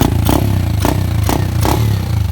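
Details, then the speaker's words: Icebear/Hellcat carburetor tuning, idling around 1,200 rpm against a suggested range of roughly 1,250–1,600: a steady, even, unhurried beat with light valve clatter and no hunting. A normal, healthy idle. "I mean this looks like is idling around 12 it still just fine"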